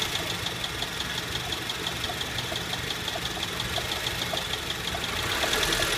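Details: 2008 Honda Civic petrol engine idling: steady sharp knock about three per second, louder after light revs and worst back at idle, from a failing AC compressor bearing that later seized; the compressor was replaced.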